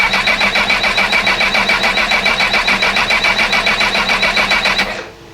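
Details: Honda CB1000R with recently fitted new rectifier and starter motor, broke down and now cranks but won't start: steady starter whir with even compression beats, never firing; Power Commander wiring suspected, cause not confirmed.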